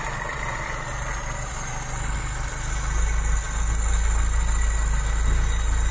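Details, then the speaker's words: 1972 Mk3 Ford Cortina GXL after a tune-up, as the idle screw is turned up a little: the idle steps up slightly, then holds a smooth, even beat with no misses or knocks. It is now set right and sounds nice. "right there you go looking sounding nice"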